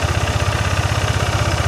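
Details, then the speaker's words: First-generation Yamaha NMAX with an ISC sensor: a steady, quick single-cylinder putter of about twelve beats a second, the rear wheel spinning without throttle. High idle from a broken idle speed control sensor spring. "Nah, posisi bannya ini muter kenceng, muter sendiri karena terlalu tinggi gasnya. Nah, teman-teman bisa lihat ini ban muter sendiri walaupun ini nggak saya gas."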